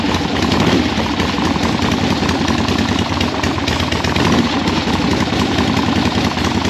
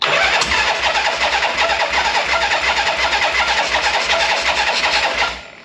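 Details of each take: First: 1976 Harley-Davidson Liberty Edition Ironhead V-twin during rebuild, first start, air filter off, PB Blaster burning off heads: steady, even loping idle with deep exhaust beat holding without stumbling; normal idle. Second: 1976 Harley-Davidson Liberty Edition Ironhead V-twin on its first start after rebuild, enrichment pulled: it runs fast and steady without dropping to a slow lope; high idle, owner suspects the idle set screw is turned in too far.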